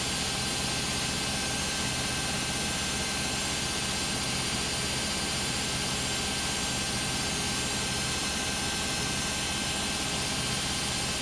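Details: Beko WM5100W 5 kg washing machine found on the street, loaded with rags, on a spin of about 10 minutes. A constant, heavy whooshing roar with no distinct rhythm or clunks; a loud spin, cause unknown.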